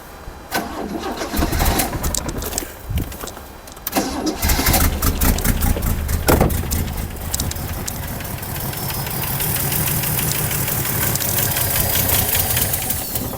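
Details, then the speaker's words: 1979 Opel Commodore C after 15 years parked, with no fuel lines or pump: several cranks, then it catches and settles into a smooth, even idle with no knocking; compression, spark and timing are okay, oil pressure builds. "it works so guys what we found today it has a compression it has a spark timing is okay it doesn't have any oil coolant and other leaks it starts it works it's perfect it doesn't even knocking once I'm surprised"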